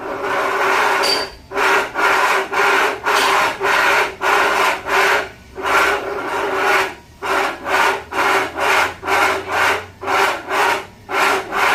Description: Range Rover Evoque, Discovery, Defender, and similar models annoying grinding noises from electric power steering racks can be repaired.